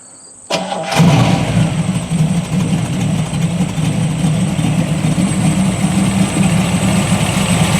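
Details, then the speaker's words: Classic Corvette V8 on radial tires cranking, catching and settling into an even, steady idle with a smooth low burble and no knocks or ticks; it sounds good and smooth. "sounds good smooth too"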